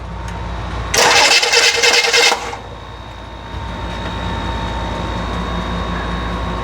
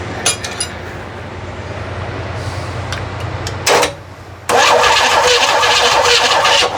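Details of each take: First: Rebuilt FC engine cranks steadily for about 1.5 seconds with no firing; the fuel pump isn't running. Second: Freshly rebuilt flat-six engine, not yet fired, plugs out while finding number one top dead center for timing, after a sticking old starter: starter spins the engine at an even steady pace with a bright whir; cranking sounds right.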